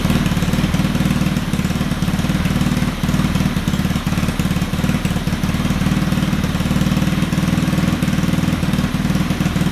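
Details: Honda Ruckus scooter with GY6 motor, hard starting: low lumpy irregular idle with occasional stumbles but keeps running; owner says it must cycle first, not perfect.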